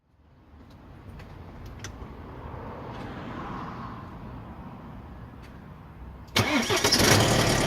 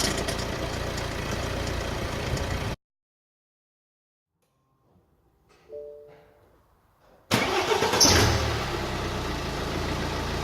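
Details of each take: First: BMW 120d (E87) N47 diesel cold start: harsh metallic clatter from stretched lower timing chain and worn guides, tensioner at maximum extension, rattling until tensioners get hydraulic pressure; fixed by chain replacement with engine removed. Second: BMW E87 120d N47 diesel after timing chain replacement (lower chain had stretched, guides worn, tensioner at maximum extension), idling smoothly and evenly after restart with no chain rattle or clatter: normal diesel idle.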